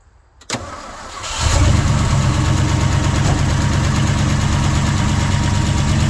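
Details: Old Ford FE 360 truck that would not idle and lost oil pressure, started after several tries with some choke: catches after short crank and settles into a steady, even fast idle, no misses or knocks.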